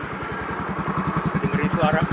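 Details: Yamaha injected automatic scooter (X-Ride/Mio M3/Mio J type) after replacing only the piston rings, keeping the cylinder block and piston, tested warmed up: even putter of about eleven pulses a second, no knocks or rattles; healthy idle with no smoke.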